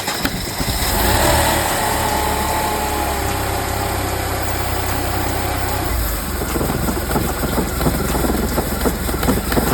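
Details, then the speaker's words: Mercedes C32 AMG after supercharger replacement, started after three months sitting: about 5 seconds after start a whining supercharger noise rides over an uneven, choppy idle with irregular clattery pulses; problem began with the belt tensioner, cause unclear. "started off the car about like 5 Seconds of run in the car the supercharger started making the same noise"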